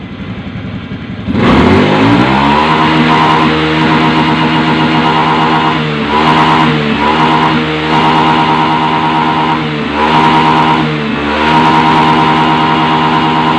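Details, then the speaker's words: Honda Beat FI ESP scooter that dies when hot, fuel pump reportedly already replaced, held at high revs to simulate a fast hot ride: drone with small dips and surges, then stalls and MIL blinks code 52. "Dia nih mati ya. Ketika mati perhatikan tuh lampu milnya, nah berkedip."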